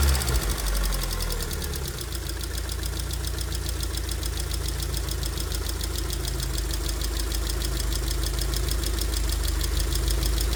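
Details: 2002 Rover 75/MG ZT engine, warm at idle with the temperature gauge normal, rather smoky. A fast, light top-end valve train ticking over a steady hum comes from a couple of tappets, suspected to be losing some oil pressure.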